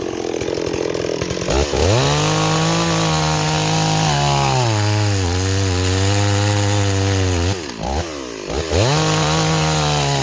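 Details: Stihl 026 chainsaw returned as a no start, after repair, cutting hickory: crisp high two-stroke scream bogging smoothly under load and recovering cleanly; runs and cuts strongly, better with 18-inch than 20-inch bar.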